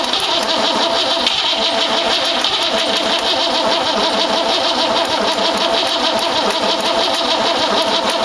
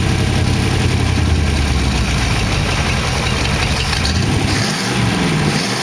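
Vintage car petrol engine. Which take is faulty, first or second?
first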